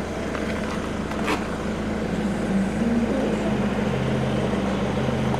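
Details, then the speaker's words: Ford Mondeo MK3 idling, clutch pedal going to the floor for nine months: steady low droning whine over the engine from a suspected clutch release bearing, loud recently, quieter after warming up in traffic but still present. "d in the last few weeks the Baron thingamajiggy decided to start making a really loud noise I'll show you what it sounds like"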